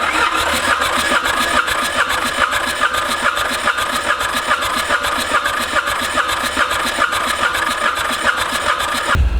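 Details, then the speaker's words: Ransomes Bobcat mower with a Mitsubishi K3D diesel, first start attempt after 9 years, throttle fully up. Steady cranking at about two and a half compressions a second for nearly ten seconds, never firing. The pump is not delivering properly; the owner suspects a cylinder full of diesel. "so it is clearly not pumping like it's supposed to be"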